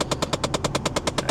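Sharp, even clicks at about ten per second repeat steadily over a quiet background; it's a regular clicking, but the source isn't identified.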